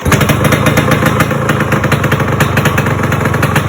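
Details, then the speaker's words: Yamaha RX 100 two-stroke during rebuild, first start (RXZ kicker fitted): loud, rough, raspy running with sharp popping chuffs, revved a couple of times; exhaust leaking at the front header joint, to be fixed with a new gasket. "Yeah, that sounds terrible. Let's give a couple of revs. It's leaking from the front."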